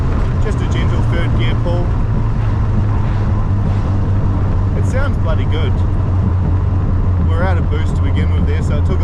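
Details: Modified RX7 rotary (50mm wastegate, LS2 coils, Haltech Nexus R5, full rewire) at idle; steady, lumpy low idle with an even beat and no knocks or misfires; healthy.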